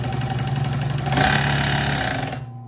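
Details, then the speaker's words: Consew 110–115V clutch motor on a sewing machine, pedal pressed to full speed: hum spins up to a busy, clattering rattle over the motor whine, then coasts down; machine also skipping stitches. "that's how fast it goes but it's really it rattles so it's not a walking foot"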